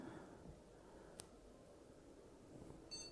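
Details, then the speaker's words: Desktop PC after reinstalling known-good RAM sticks during no-display troubleshooting: fan whir then one short high POST beep and display comes up; board passed self-test, memory fine. "beep and we've got movement on the screen there you have it"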